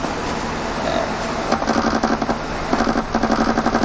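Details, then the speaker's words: Maroon Nissan Grand Livina that vibrates at high speed, when braking and downhill; cardboard held to the wobbling tyre scrapes unevenly about four times a second; rim bent out of round after hitting a pothole; fix is alignment and balancing. "Nah, begitu dia pas posisi jalan ketemu lubang nah, itu kehajar, kemudian dia posisinya jadi bengkok atau tidak tidak bundar. Tidak bundar lagi, jadi peang gitu ya?"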